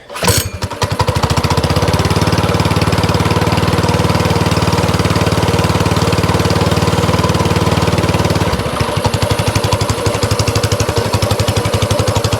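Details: Lightly modified 224cc single-cylinder engine in an FRP GMB100 mini bike roller frame, started on choke after wiring: it catches after a brief crank and settles into a steady, even chug, running normally.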